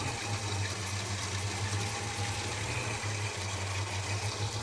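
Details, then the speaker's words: Holden HK V8 just after a spark plug change, with fresh 20W60 high-zinc oil, at idle: low, lumpy pulse stumbling about every second. It is running rough and needs re-tuning; the cause is not confirmed. "how will she sound a lot smoother yeah she's running a bit rough it's gonna need to re-tuning"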